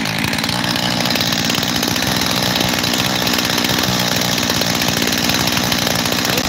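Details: Husqvarna 372 XTorq chainsaw, freshly rebuilt with new bearings, seals and carburetor, base gasket fine; owner suspects an air leak at the transfer cover: high buzzing idle hunting between two speeds instead of settling; unstable idle.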